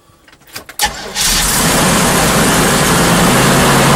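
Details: 1989 Pace Arrow RV after an alternator replacement: brief starter whirr, then the engine catches and holds a steady, even roar without misses or knocks; running normally and charging at 13.9 V.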